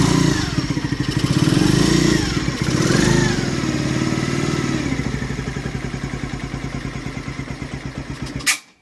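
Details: Skyteam Ace 50 moped, brand-new Zongshen HY50 4-valve twin-cam engine (Honda Dream 50 copy), not yet run in, two-into-one exhaust, started cold; revs up and settles into clean even putt-putt idle before shutoff; normal cold running.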